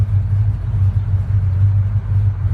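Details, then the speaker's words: 1937 Ford Coupe restomod on cold start (intake about 54–55°F) on choke: deep, even low rumble holding steady without throttle help; a healthy cold idle. "now you can hear a little bit of that beautiful hot rod rumble"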